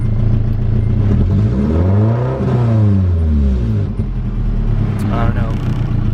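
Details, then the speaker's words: Nissan 240SX (S13) revved from inside the car: engine sweeps up and down smoothly, then a thin high-pitched tone rises briefly near the top of the rev, also felt when floored; cause unknown, owner plans to replace spark plugs next. "so i'm gonna go ahead and press the gas pedal and you guys can hear it as well look i don't know it has like that the high pitch at the end doesn't sound too good"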